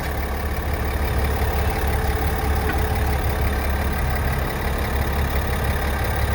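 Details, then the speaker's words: 2021 GMC Sierra AT4 3.0L inline-six Duramax diesel, before its oil change to 0W-20: deep, even diesel clatter at a steady idle with no extra knocks or rattles. Normal, healthy idle. "so this is what this cute little theramax sounds like before"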